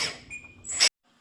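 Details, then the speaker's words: Lesu 850K RC bulldozer right track motor after reassembly: a thin, high-pitched steady squeal over the motor whir, while the left motor is silent. The pinion sits high and half-meshes. "I was still getting a screeching sound after I reassembled this out of the right motor. The left motor is silent."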